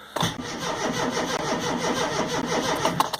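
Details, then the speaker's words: Rover Mini Cooper MPI after months in storage, ignition on, in neutral, batteries fully charged, fuel pump audible: the starter turns the engine over slowly for a few seconds and it never catches. Owner suspects fuel or spark, possibly a dead MEMS 2 ECU. "sluggish I'm turning over there the batteries are fully charged"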